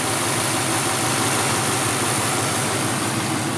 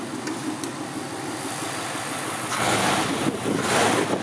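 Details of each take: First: 1953 Ford two-door sedan, flathead V8 with a 3-speed column manual: very soft, quiet, even idle with no knocking, vibration or shaking; normal idle. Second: 1953 Ford two-door sedan, flathead V8: loping idle swelling into a louder, raspy rev with extra exhaust roar from the rear, caused by a somewhat perforated muffler visible at the outlet; exhaust leak.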